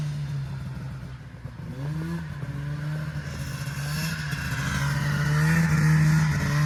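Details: 1980 Yamaha Exciter snowmobile, revived after sitting 19 years, pulling across the snowy yard: steady two-stroke buzz climbs smoothly with no stumbling or knocking; normal running under load.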